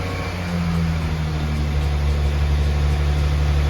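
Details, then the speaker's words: Restored BMW E30 with new muffler, engine loaded by reversing against the brake: hum drops and holds lower, idle not returning to 1800 rpm; suspected idle control valve (ICV) issue. "All right, let it go. And it didn't come back to 1800, right? Right, idle control valve's kicking in."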